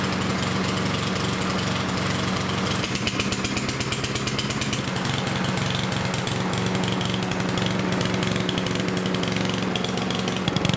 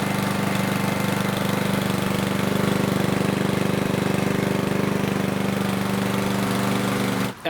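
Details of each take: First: Yard Machines lawnmower with a Power Mower engine: flat, bogged beat that won't rev to full speed, as if choked; running rich because the air filter is soaked with oil and fuel. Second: Yard Machines mower with Power Mower engine after replacing an oil- and fuel-soaked air filter: steady, even single-cylinder drone at constant pitch with no surging or stumbling; running properly.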